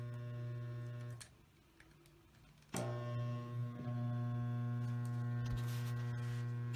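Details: Mytek fan that hums but won't spin its blades: steady low electrical hum with no blade whoosh; a loose, previously repaired capacitor is found, a failed start capacitor.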